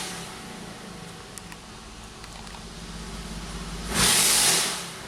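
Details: Engine with a plugged bank 1 exhaust, oxygen sensor removed so its port acts as an open exhaust: a loud, raspy, open-header roar rises and holds. The engine now revs higher and holds RPM, confirming the restriction.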